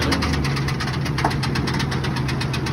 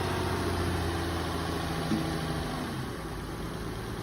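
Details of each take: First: 2001 Ford F-150 Lariat, started with a jump: rapid regular knocking over a lumpy idle, keeping pace with the engine; quieted a little after moving it but knock remains. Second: 2008 Nissan Altima, jump-started at auction lot, moves forward and backward: steady even low rumble with no knocks or misses; normal idle.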